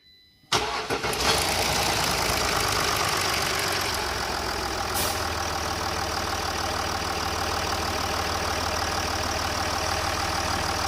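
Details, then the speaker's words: Range Rover Sport 3.0 TDV6 diesel, 1200 miles after engine rebuild, started after service with fuel filter change and fuel system priming: catches quickly and settles into an even, steady idle, no knocks or misses. "she still sounds like a watch all right knock it off"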